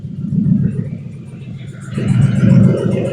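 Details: 1969 Ford F100 with swapped 4.6 V8, fresh fluids, running on open headers with no cats or exhaust, AC being charged: loud, raw, deep rumble with rough uneven pulse swelling on a blip; running fine, AC compressor then engages.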